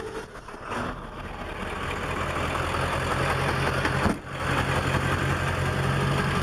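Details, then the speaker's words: Early 1999 Ford 7.3 Power Stroke 4x4 one-ton automatic, 143k miles, 4-inch turbo-back straight pipe, five new injectors, new cam position sensor: uneven, lumpy clatter at about four pulses a second at idle. Truck shakes badly and lacks power under load and at highway speed. "this truck just shakes aggressively you could just tell it's not running right especially at highway speeds"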